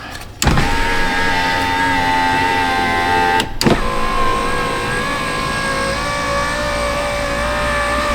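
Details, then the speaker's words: Older Chrysler Town & Country van, after fitting used junkyard window regulator: two smooth motor whirs at steady pitch, each ending in a thump at the stop; slight strain going up is normal, sounds like any power window. "not much different it's uh you know natural it's natural for the motor to struggle on the way up because coming down it's got gravity on its side but going up gravity is against it that sounds like any other power window"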